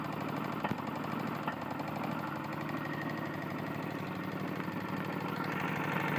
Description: My Tecumseh lawn mower has a serious connecting rod issue